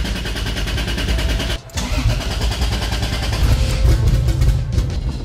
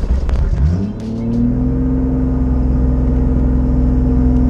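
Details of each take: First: Toyota Supra 2JZ with budget eBay turbo kit (NA-T build), distributor previously causing ECU communication issues: engine catches after a brief dip, settles into a steady deep rumble with even pulses, no knocks; sounds healthy, normal start and idle. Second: Toyota Supra 2JZ with a newly fitted budget turbo kit, running rich: revs climb quickly after a blip and stay high instead of dropping back, throttle seemingly sticking open; vacuum leak suspected, not confirmed.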